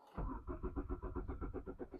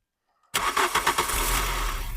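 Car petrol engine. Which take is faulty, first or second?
first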